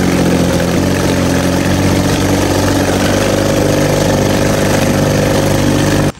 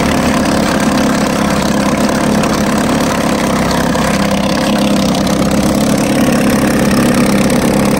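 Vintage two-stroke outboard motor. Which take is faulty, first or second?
first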